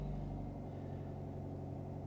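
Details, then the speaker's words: Fiat 500c at an IAA auction walkaround, idling just after starting: a quiet, smooth low rumble holding a constant pace with no stumbles, ticks or knocks; it runs well. Normal idle. "she does run well wow"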